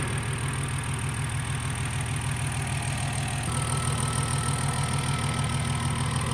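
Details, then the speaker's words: BMW E46 M54B30 with M56 valve cover, MS43 ECU and pencil coils, after installing a salvage-yard coil: smooth even idle on all cylinders with quick light ticking that is just the loud fuel injectors; engine healthy. "hey it's running on all cylinders and it settled down into a nice stable idle all right I'm happy with that"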